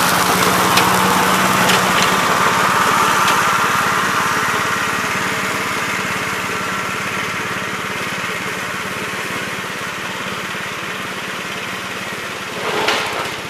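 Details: 1969 Gravely C8 tractor, morning run after no-high-range repair: single-cylinder with a steady, even beat, no misses or knocks, settling smoothly. Sounds healthy.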